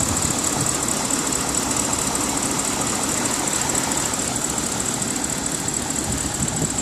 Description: This sound is from a bmw 550i engine that is idling at normal operating temperature. Concern is if this is normal or expected or is there sonething going on with the vanos or lifters etc